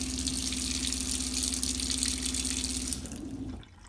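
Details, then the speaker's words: New Shurflo water pump in 2015 Kodiak 240BHSL travel trailer, heard with drawers reinstalled. Faint steady low hum under rushing tap water, fading as flow stops; normal quiet pump operation. "is very quiet, so with the drawers back in you can hardly even hear it."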